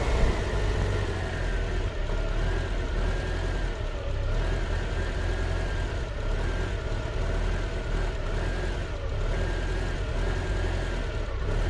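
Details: Volvo 340 B14.4E petrol engine idling with an uneven, lumpy low rumble; rough idle caused by dirt in the idle solenoid.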